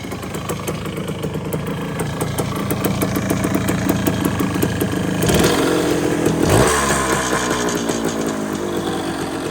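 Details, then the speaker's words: 1974 Honda MT250 two-stroke after rebuild with new seals, NOS piston and rings and honed cylinder, first start: crisp quick popping at fast idle, blipped and settling evenly; started easily, normal running. "But I'm just happy that it's running, and it started out pretty easy too."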